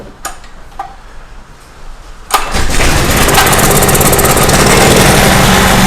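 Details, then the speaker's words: Small Craftsman portable generator after governor readjustment, started on choke without starter fluid: a few pull clicks, catches at once, settles into smooth steady beat with no hunting; normal start and run. "Man, I am just thrilled to death with that. That sounds perfect, and I'm good to go."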